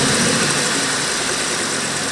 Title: Aurora 4.0 Exhaust Leak and Water Pump Whine